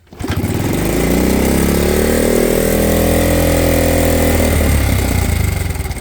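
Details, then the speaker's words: Vintage Honda CT70 trail bike with many hours, started on choke before teardown: fast choked idle with a loose chattering rattle from a stretched cam chain; also burning oil. "kind of hear the rattly camchain in it but I can smell oil"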